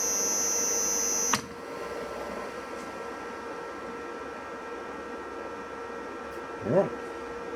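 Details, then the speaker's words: Victor lathe electric drive motor after bearing and seal replacement (previously squealing and rumbling): clunk at switch-on then steady even hum, no squeal or rumble. Normal motor run. "appears to be well. All right. Now that I know that it works, I'm going to put it back in."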